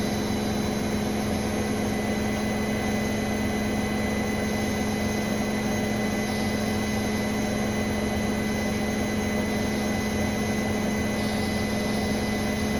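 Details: Brand-new Bosch Serie 4 WAN28281GB washing machine, balanced final spin, seal clear of drum: steady high-pitched squeal over constant spin roar; owner wonders about bearings or EcoSilence drive belt, earlier suspected suspension, cause unclear.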